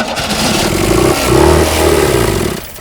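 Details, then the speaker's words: 1975 Pontiac Astre sitting 20 years, first start attempt: catches about two seconds with ragged, uneven firing, then dies; fuel not reaching engine so it won't keep running. "oh my good if we could just get fuel going to that thing she's gonna run mint"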